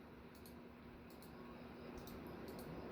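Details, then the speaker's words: Casablanca Four Seasons ceiling fan, polished brass, at full speed: soft steady hum with a faint motor buzz audible only close up; still effectively silent and running smoothly. "oh no he oh there's definitely a buzz to it I hear it I don't hear it from over here"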